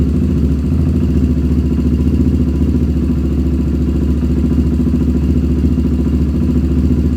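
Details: 1997 Honda TRX300EX single-cylinder, cold idle after cam chain replacement, not run in a while: steady, regular low pulsing, no tapping or misfires; a little grumpy but running really good.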